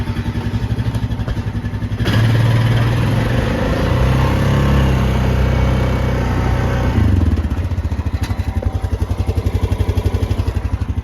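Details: Honda Rubicon 520 DCT after valve adjustment: even single-cylinder thump at idle, a clean rev blip and back down, with no ticking over the top; valves sound right.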